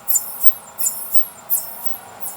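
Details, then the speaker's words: Pulse tube cryocooler on a dilution fridge idle since about 2016, just switched on with vacuum around 10^-6, 50 K stage already down to 263 K; rhythmic airy hissing puffs about every 0.7 s; normal pulse tube operation. "we just turned on the pulse tube you can hear the noise that's the pulse tube"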